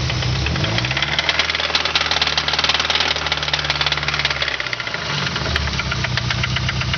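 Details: Nissan KA24E engine idling with a deep, steady knock about four times a second under the running note; worn rod bearing, rod knock.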